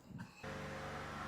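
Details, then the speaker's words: 2005 Buick LeSabre 3800 that misfired and ran rich once warm, after repairs including bad O2 sensor: smooth even idle warming up in closed loop, no stumble or miss; O2 and fuel trims look good. "right, we're running, and I'm warming it up, and it looks like we're in closed loop, but the O2 looks a lot better."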